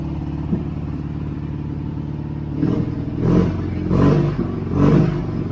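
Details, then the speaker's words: 1965 BMW R50/2 motorcycle after carburetor cleaning, started on second kick with no choke after about three years sitting: even, lumpy twin idle and crisp throttle blips rising and falling cleanly; normal running. "This thing started on the second kick. Wow."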